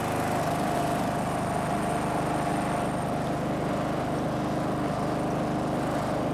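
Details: Snapper riding mower, garage-stored by the original owner, runs after the angled fuel tank that starved it of fuel was set back in place; a steady, even drone with a constant low beat, no misses or knocks, normal running.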